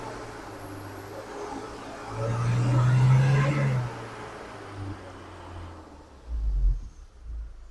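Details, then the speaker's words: Isuzu Crosswind diesel, recently bought secondhand, also with slipping clutch, blow-by and white smoke, revved to about 3,000 rpm: low rumble swells then sags unevenly, engine shaking; faulty injection pump not fuelling steadily, needs overhaul. "so talagang ito po kailangan ko ring i-overhaul ang injection pump nito habang kanina pinipiga ko yung accelerator nito Nanginginig pa yung makina"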